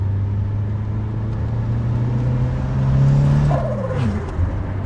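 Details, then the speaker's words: Boosted Ford 2000 RS Cosworth replica, first drive on freshly rebuilt forged engine with remote tune, data logging; strong, even note climbing under boost and easing off cleanly, no knocks or misses, good fuel, quiet healthy engine. "Sounds so so good. And those gauges look good, don't they? So, yeah, we're on boost. We're on good fuel. Engine is quiet."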